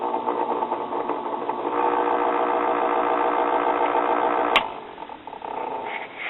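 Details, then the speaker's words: 1959 Spear-Tone tube kiddie record player turntable motor before cleaning: steady buzzing hum with a rough flutter about three or four times a second, awfully noisy; worn bushings suspected. "I think I'm going to check out the drop mechanism because this motor is awfully noisy"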